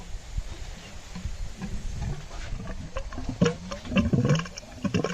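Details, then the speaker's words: Acura 3G TL Type S rear cylinder head during leak-down test on cylinder two despite good compression (210/205/210 psi): irregular gurgles and bubbling pops as air escapes through the radiator coolant, a blown head gasket. "yeah i don't think i need to go any further so yeah you can have good compression but that doesn't mean you don't have a blown head gasket"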